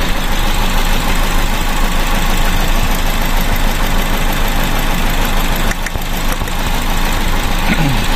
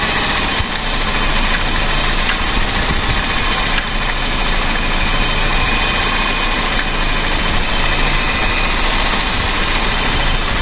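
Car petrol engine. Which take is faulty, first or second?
first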